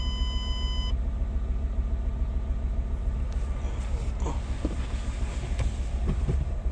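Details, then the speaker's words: 2009 Ford Escape revved with a low uneven beat and occasional stumble; still missing on a cylinder, and the coil pack is suspected as the culprit, not confirmed. "miss nope no bleno as they say yeah so that coal Pack's going to be the culprit right there"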